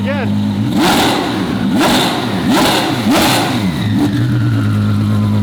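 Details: Twin-turbo V12 Ferrari on first shakedown, no load or boost yet, dump pipes unopened: four sharp blips up to a hard limiter, then a turbo whistle falls away as revs drop; turbos spooling cleanly, normal spool.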